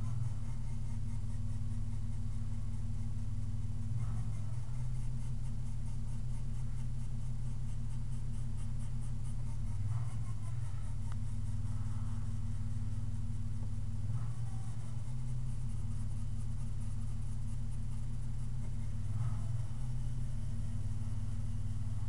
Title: 3.8 V6 Whining Noise